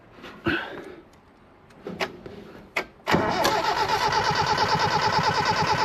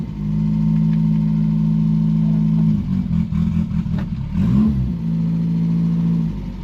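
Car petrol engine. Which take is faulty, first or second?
second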